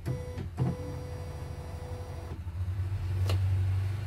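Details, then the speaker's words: CNY embroidery machine after repair (was dead, heavy rotation, messy stitching), test run: low steady hum, even smooth drive, no knocking or scraping; sound now smooth versus rough before; worn rubber noted. "Tapi suaranya udah halus. Kalau yang kemarin kotor gitu."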